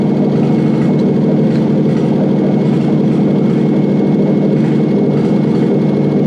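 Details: Toyota 1UZ-FE non-VVTi V8 with an ECU swapped in: a smooth, even idle with a steady low burble and no misses or knocks; the engine runs normally.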